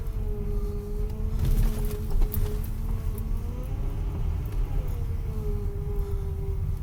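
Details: Rough drone with a moaning tone rising and falling as a 2010 Dodge Journey accelerates and steers; grinding noise sounds a lot worse than the day before.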